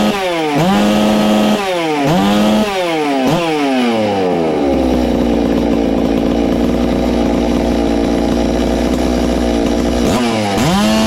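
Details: Ported Farmertec MS660 two-stroke chainsaw after adding a muffler-cover port, timing check and tach tuning (22° blowdown, 100 exhaust, 80 intake): sharp blips, then a long, steady high-pitched full-throttle scream with clean pickup; louder, healthy high rpm.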